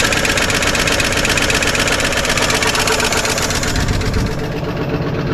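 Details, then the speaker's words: 1955 Chevrolet 210 four-door sedan, long-stored, with two-stroke oil in the fuel: even steady idle with light regular valvetrain tick, no misses or knocks; running smoothly despite noisy lifters and rockers. "very smooth has a little bit of gas in the tank so I'm going to shut this off"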